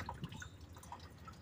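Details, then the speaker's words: Honda Civic Wonder with coolant pouring like a waterfall from the water pump and a rough engine noise: slow, irregular drips splashing over a low engine hum; coolant leak from water pump. "Hai Oh ternyata kebocoran dari Waterboom Ya Bro"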